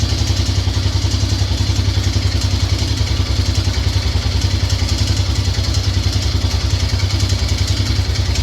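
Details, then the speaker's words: Grizzly 600 after a new carb boot, on a cold start and idle: a steady low thump with a rough, clattery tick from down in the engine. The engine was previously apart, and the cause is unconfirmed. "I don't mind doing it, but I mean, that's bad is it's got that damn, it's got a noise down in the engine. Let's go ahead and see if we can start it."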